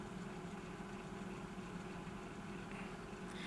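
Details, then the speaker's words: Salter EK5872 air fryer on a workshop mains bench test, one side had stopped heating (thermal fuse suspected): steady, even fan motor hum with a smooth low tone and no rubbing or grinding; the motor is judged healthy. "I don't think there's a problem with that motor."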